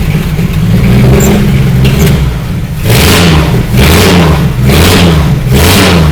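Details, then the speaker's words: 1954 Willys Jeep truck flathead four after valve-train work and a reattached distributor wire: catches and revs in even pulls, idling smoothly with no knocks or misses, though it smokes. "it does sound better that sounds really [Music] good wow that thing's idling really smooth and everything"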